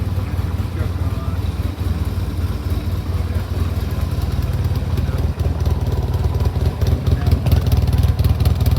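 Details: Frame-off rebuilt 1971 Yamaha XS650 XS1B (rebored second over, new rings, cam chain, rebuilt carbs, new headers and mufflers; 31,000 indicated, true miles unknown), after a choke start: steady low thumping twin beat, even rhythm, no clatter or knock; sounds healthy.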